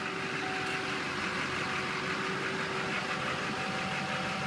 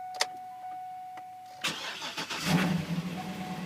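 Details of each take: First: Chevrolet truck with Duramax diesel at an auto auction, started after glow plugs cycled: even diesel clatter with steady hum, no stumbles or surging over ten seconds; a smooth, healthy idle. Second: Vehicle started at an auction lot, possibly a Ford Edge or Escape: after brief crank it settles into an uneven, lumpy idle with ragged surges; running rough, cause unknown.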